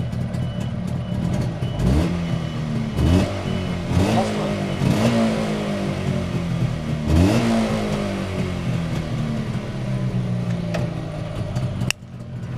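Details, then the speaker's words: Cold Jawa 640 two-stroke with used cylinders honed after a seizure, clearance raised from 0.05 to 0.06, being run in at about 200 km. Crisp, even revs through several blips, slightly noisier when cold, with no knocks or foreign noises: healthy running. "Deluje tiho, na hladnem, povej mi kako? Na hladnem, nekoliko bolj hrupnem, ni tujih zvokov. Sliši se to zelo šumenje, le malo glasnejše."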